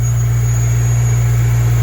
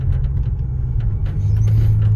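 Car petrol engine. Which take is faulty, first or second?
second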